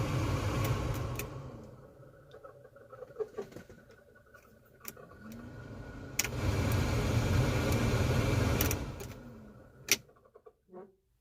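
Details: 1985 Chevrolet S10, before replacement: the heater blower motor gives a loud whirring roar with a harsh rising squeal that swells and fades as fan speed changes, from a worn-out blower motor.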